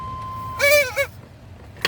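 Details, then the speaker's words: Chevy Tahoe 5.7 blower motor, weak and not working on second speed, running with its two wires plugged back in: a wavering high-pitched squeal over the fan's rush, like a rat and duck squealing; owner plans to clean and grease it; blower motor bearing squeal. "this is annoying me it sound bad sound like a rat attacking a dunk and they both squealing that's what it sound like"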